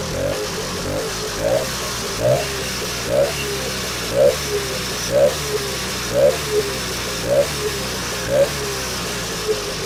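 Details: Vintage two-stroke snowmobile after a cleanup and reassembly, now pulling fuel: keeps running on its own with a crackly, steady beat and light puffs about once a second; running fine.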